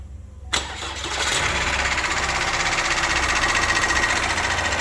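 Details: Opel Astra J 1.6 CDTI (B16DTH) diesel at 138,000 km, started after a timing chain replacement: a quick crank and clean catch, then a steady diesel clatter at idle with no chain rattle or slap; sounds healthy.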